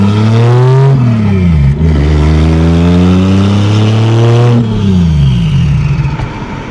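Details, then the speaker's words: 2JZ-GE NA-T swapped MK3 Toyota Supra on the road, after plugs regapped, battery had been unplugged, low on fuel: engine pulls hard with rising revs, then sags, wavers and dies under load; still breaking up. "Oh, nope. Just died. Something's still not right. Dang it."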